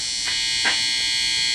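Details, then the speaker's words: Steady bright electrical buzz from a BC Rich project guitar with humbucker and single-coil pickups on a 5-way switch; only the single-coil pickup hums, traced to improper wiring. "that pickup's on the humbucker comes to effect and only this pickup thumb makes a bit of noise"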